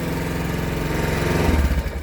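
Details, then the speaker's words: Quad engine: steady low chugging firing pulses turn uneven and heavy, the idle constantly hunting, then it chokes down and dies by itself; cause not evident. "Hear how it runs? All weird. It's like always hunting for a different idol. Yeah. Chokes down."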